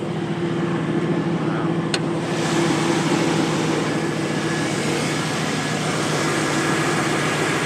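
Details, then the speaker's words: 2002 GMC Sierra 2500HD after exhaust manifold gasket replacement, broken bolts extracted and EGR plugged, cold start: smooth even idle, faint buzz (owner unsure if injectors or bolts), no exhaust rattle; quieter, healthy idle. "pretty quiet isn't it looks so nice then we got the egr plugged on this side not making noise"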